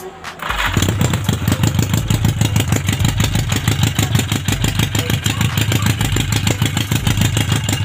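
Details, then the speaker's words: Yamaha Maxim XJ750 on its first run after an engine rebuild, ignition bypass, carb overhaul and new spark plugs, open headers with no muffler. Loud, uneven, lumpy idle; running rich, using fuel fast with black exhaust smoke; owner plans to refit the stock carb parts. "Ito okay naman siya kaso sobr lakas sa gas e ano e ubos agad tapos sobr itim yung tambutso e yung usok sa tambutso"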